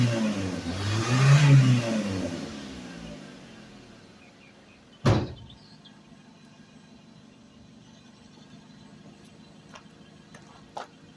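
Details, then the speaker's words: Suzuki Vitara revived after sitting 13 years, run 15–20 minutes at a time to free up: engine revs up and falls back smoothly, then drops to a quiet even idle; running well so far. "I'll let it run 15, 20 minutes at a time, and I'll turn it off, start it up, turn it off, start it up."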